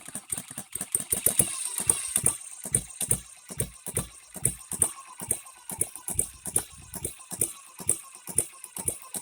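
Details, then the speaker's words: Newly built HM-01 hit-and-miss engine kit on its first real run, fuel fed from a syringe, oiler then turned on: sharp loud clacks about once a second over a quiet run; timing gears far too noisy, needing break-in and wear-in. "it it does run but those gears good Lord we shouldn't hear them that bad"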